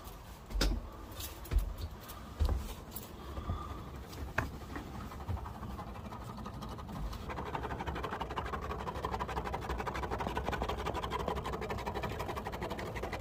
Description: Imagine this sound all night and all day for months!